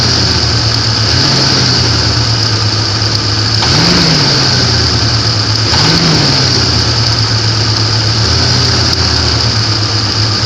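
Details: 1994 Grand, 4.0-litre engine at idle. Uneven tapping under a hiss, with two throttle blips. Engine knock, cause not identified.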